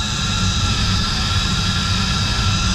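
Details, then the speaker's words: Commercial kitchen centrifugal downblast exhaust fan with ABB VFD, motor and drive area caked in excess grease: steady fan roar with thin constant high squeal, likely slipping glazed drive belt; belt intact but due for replacement. "Not a fan of that sound. I think it is time for a new belt."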